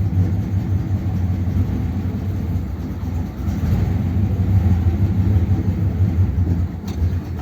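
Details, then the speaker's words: 1957 Ford Thunderbird V8 on the road after the original parts were reinstated: deep, uneven, lumpy burble, definitely misfiring. It is running and not flooding or pushing fuel out; the cause is unknown. "it's definitely misfiring isn't it but it's actually running and it's not brushing fuel out so I don't know why it's running badly"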